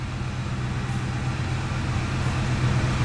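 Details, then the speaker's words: Ford F-150 V8 after a repair for power loss, hard starting and lean fuel trims. It starts right up with no long crank and idles with a smooth, even rumble and no misses, warming up. "it's idling good we're at 23 26 24 so i'm just gonna let it run let it warm up"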